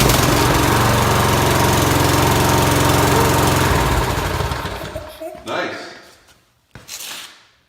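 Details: Briggs & Stratton mower engine, final start after carburetor cleaned and reassembled, chugs steady and even for about four seconds, then winds down and stops cleanly; runs healthy.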